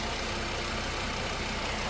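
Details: 2013 VW Passat 2.5, towed in as not charging and blamed on the alternator, idling after a soldered fuse-link repair, charging at 13.9 V: even steady idle, smooth low hum, no knocks, misses or surges.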